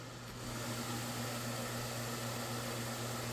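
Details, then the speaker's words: Vornado fan running on 60 Hz supply instead of 50 Hz, turned up to high speed: steady low electrical 60 Hz motor hum, lower than the 50 Hz one, with even airy blade rush. Finding: motor hum. "You can hear that 60 Hz hum instead of the 50 Hz one, which is funny. At least it's lower, it's not too low."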